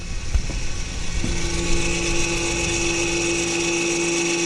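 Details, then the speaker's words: 2014 Audi Q5 rear electric parking brake, opened via a Snap-on scan tool's parking brake replacement function for a pad change: a clunk, then a steady constant motor hum as the caliper motors retract normally into service position. "hear that that's the counter for opening up there you go now you can service the back breaks"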